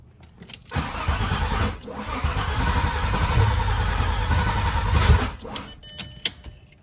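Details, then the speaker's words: Freshly built VW VR6 engine, start attempts after fuel filter O-ring repair: starter churns steadily about four seconds with an even cranking beat but never fires; cranks no start, with an oil leak found afterward. "All right, so that's obviously not working, but we got another issue."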